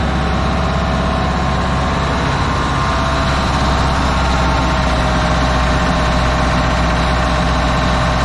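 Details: Old fire truck, vintage low-mileage Detroit Diesel two-stroke; steady, even low idle with smooth unbroken beat, no knocks or misses; healthy normal idle.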